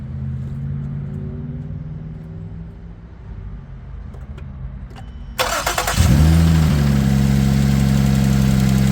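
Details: 2007 Ford Edge SEL AWD 3.5L V6 started after replacing fuel injector #6 (open/short code, rough idle, flashing check engine light); cranks briefly, catches and settles to steady even idle, injector pulsing felt: normal idle.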